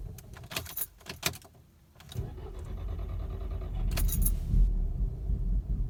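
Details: Mk6 GTI restarted after being driven to operating temperature and then off about 15–20 minutes: keys rattle, the engine fires and settles into a low, uneven, lumpy idle that can stall. This happens randomly and the cause has not been found.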